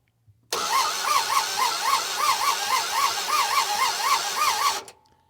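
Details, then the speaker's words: Barn-find Monaco that sat for decades with next to no compression (rings suspected stuck), fitted with a mini starter for higher cranking speed: fast, uneven, harsh whirring crank surging about four times a second, never catches; owner wonders about the ring gear. "well it cranks good um still sounds terrible I wonder if there's something with the ring gear or something but anyway it's what we got"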